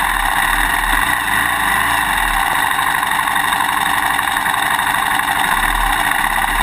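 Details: GoPro Hero 2 mounted on a motorcycle swing arm while riding: fast, fine clicking over steady engine and road roar. The quick-release buckle is rattling loose in its bracket; tape between bracket and buckle eliminates it.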